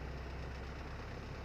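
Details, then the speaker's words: Used Toyota Corolla idling with the AC on after starting: low, steady idle hum, even note, no knocks or rattles; engine described as quiet and steady, running healthy. "เครื่องดีมากครับคันนี้"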